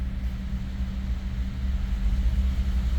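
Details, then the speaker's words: 2011 Ford F-150 5.0 V8, cold, after a crank/no-start fix: truck now starts but idles deep and lumpy with an uneven stumbling beat; codes for cylinders 5 and 6, misfire traced to an unplugged injector connector. "but but it the trick starts it runs like it has a misfire but at least the truck is starting now"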